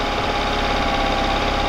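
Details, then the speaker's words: Outboard (estate-sale motor) in water test, idle raised slightly, air mixture screw set two turns out; holds a steady drone with a slightly uneven, lumpy beat, not idling perfectly; rough idle from mis-set idle mixture screw. "So this air mixture set at two turns out. It's not idling perfect."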